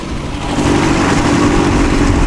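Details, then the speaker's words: 63-year-old abandoned boat's engine running after an ignition spark fix, put in gear on the water: steady, even drone holding pitch under load with no misses, knocks or rattles; running smoothly, overheating unchecked. "Sounds good. Oh, It's running smoothly. it goes in gear."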